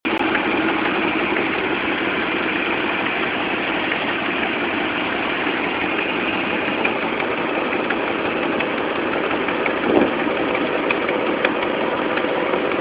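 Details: Dodge Dakota 4.7L at a busy idle: fast, light ticking from the right side, steady with engine speed, from leaking exhaust manifold gaskets; replacing the gaskets with new bolts solved it.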